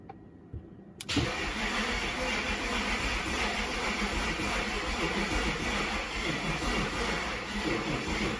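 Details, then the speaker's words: BMW E65 fitted with mismatched junkyard fuel injectors that leak: starter spins the engine at about three turns a second and it never fires. Crank, no start; no fuel pressure. "So it will not build fuel pressure because it's pissing out, so those injectors won't work, so that idea is just shot."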